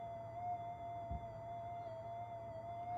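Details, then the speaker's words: Minelab GPX 5000 metal detector: steady high threshold tone over a constant low hum; over 5 mV ripple on the negative supply rail, likely from undersized capacitors, makes the threshold noisy. "there's your negative rail look at that that's not very good is it we have n excess of 5 Ms um variation in the supply"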